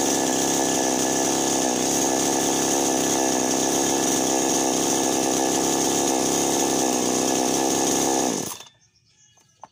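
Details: Chainsaw that would not start and died right after starting, now running after its loose spark plug/ignition was fixed; steady even high-pitched buzz for about eight seconds, then a clean shutoff, i.e. normal running.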